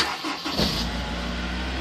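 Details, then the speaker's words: 2007 Honda S2000 with VSA at 57,011 miles, run on Mobil 1 full synthetic with 80% oil life left. Quick crank catches at once and settles to a steady, smooth idle with no misses or knocks: a normal, healthy start. "Fires right up, nothing wrong with that, and there damn well shouldn't be with 57,000 miles on the car."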